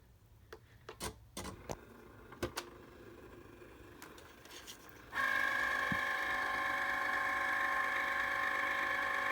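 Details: Cricut cutting machine running: after a few clicks, a loud, steady, high-pitched buzzing drone that persists unchanged, an abnormally loud operating noise.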